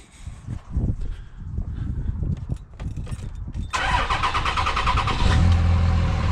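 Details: 2006 third-gen Cummins diesel pickup after installing Airdog II 165GPH lift pump, fuel filter delete and fuel sump, system purged: steady cranking for a few seconds, then it catches promptly and settles into an even, rattly idle; a healthy start.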